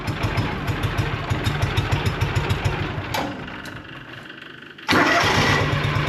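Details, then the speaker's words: Auction-bought John Deere Gator 6X4 that sat unused since 2014, with oil checked and fuel reaching the carb; even cranking, a pause, then it catches and settles into a steady, even run, a healthy little engine. "that's a good little engine all right I'm not going to run it"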